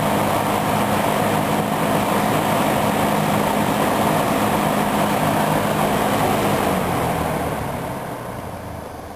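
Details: Dayton 4C418 20-inch three-speed box fan, a rebadged Lakewood P23 with Chicago-made motor, on high: smooth, even rushing air with faint steady hum tapering off at the end; normal clean running.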